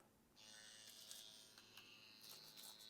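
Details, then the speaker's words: Tatvida brushless rotary tattoo machine at 9 volts with a Himala needle cartridge: smooth steady high buzz, even pitch, no rattle or stutter; normal running. "9 volts avec Himala, on est sur un bruit super correct."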